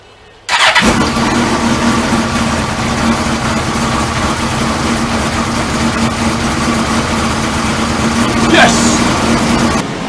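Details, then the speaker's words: Suzuki GSX-R 1000 streetfighter just fitted with a new petrol tank holding little fuel: fires after a short crank and settles into a smooth, even idle; normal start and idle. "Oh, it's so good to hear the bike again. Well, all running beautifully, so just once I'll double check the system, make sure it's not leaking,"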